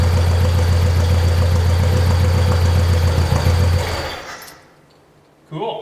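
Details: 1972 Saab Sonett engine, seller says overhauled by previous owner, idling after a hard start following months of sitting: low steady thrum with even beat, no misses or knocks, then fades out; normal healthy idle.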